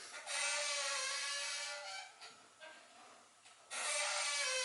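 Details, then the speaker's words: Hustler Raptor zero-turn mower steering lever pulled back toward reverse, giving a loud, high, wavering squeak twice; the stick also sticks and does not self-correct, and the squeak's source is not yet located. "because this is dealing in Reverse can you hear the squeak"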